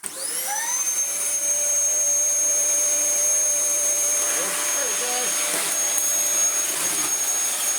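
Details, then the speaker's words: Dyson vacuum, bottle fitted, motor spins up with a rising whine and settles to a steady even high-pitched roar; runs normally apart from a slightly dodgy brush roll. "There's the bottle. That sounds happy. Marvellous. Bar the slightly dodgy brush roll, that works alright."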